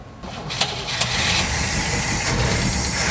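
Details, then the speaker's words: 1961 Cadillac limousine pulled from long storage, first start: starter cranks briefly, engine catches within a second and settles into a steady, even idle; starts and runs fine. "is amazing. It runs. So who knows how long it's been sitting in the storage facility, but it runs."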